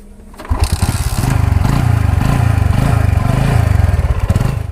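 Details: Bajaj Discover 135 motorcycle after timing chain and valve replacement and tappet adjustment: catches on the first crank and settles into a smooth, even idle with no tapping from the top end; engine sounds healthy.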